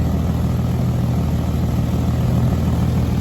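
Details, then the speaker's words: Infiniti G37S with ARK Grip exhaust at idle: deep steady rumble with loose uneven puffing; shop found exhaust leaks at a flex pipe near the Y-pipe and at the mid-pipe flange. "they're telling me that um i have an exhaust leak in multiple positions multiple positions i'm having an exhaust leak in multiple areas"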